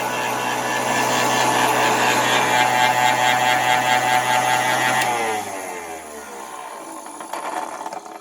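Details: Vacuum cleaner with rheostat low/medium/high speed control, motor warming: loud fluttery uneven whirring drone, then falling whine on spin-down; rough-running old motor, cause unknown.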